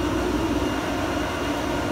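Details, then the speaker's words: Quincy screw air compressor building pressure, without the loud rotor whine expected under load: quiet, smooth, even hum with no knock or rattle; normal running. "she runs really quiet you know and smooth I've really liked it from that point of view"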